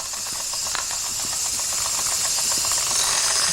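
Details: 1992 Wilesco D400 live steam toy tractor, no. 447 of 600, running after a fix: a steady hiss with quick, even chuffs around four a second, no slipping or stumbling; it runs properly.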